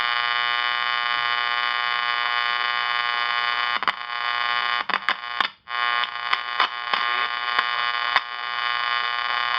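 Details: Channel Master 6505 five-transistor AM table radio under repair, weak volume, parts being probed: loud steady buzz with clicks and brief dropouts; buzz from a faulty capacitor that needs replacing.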